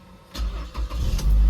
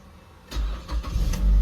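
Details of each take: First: Automatic car, probably a 2010 model, with 1,082 km: starter only clicks, then after repeated key turns it bites and the engine catches to idle; intermittent starter engagement, likely carbon buildup needing starter motor cleaning. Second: Car with about 1082 km and an intermittent no-start (clicks only, possibly after sitting parked long): this time it starts on one key turn, with a few quick cranking pulses before it fires and settles into a steady, deep idle. The TCS light stays lit.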